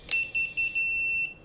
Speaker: now motors are done everything's done and you'll hear it beeping right